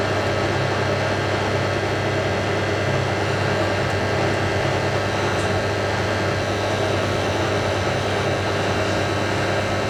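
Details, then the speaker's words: Hotpoint 9530 Electronic 1000 Plus washing machine, after repair (burnt neutral wire on mains lead replaced), final spin ramping up with twin bedding load: steady, even whir and hum with no knocking, banging or grinding; drum running smoothly, normal spin. "It sounds so smooth going up to the house. I wonder if we'll make it down to distribution before we do. I'm amazed. I'm amazed at how smooth that is."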